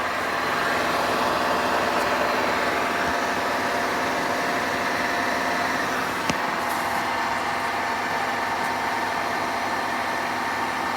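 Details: Hotpoint washing machine running a cycle with a steady rough grinding rumble throughout, no clean tone; mechanical fault inside washer suspected.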